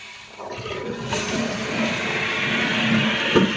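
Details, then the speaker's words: Toilet with a disconnected flapper chain; pulling the chain by hand lifts the valve, giving a rushing swirl as the bowl empties and the tank refills, a normal full flush before the chain is reconnected. "you can hear the toilet right now is kind of flushing. It's only because when I pull up on this chain, it pulls up on the valve,"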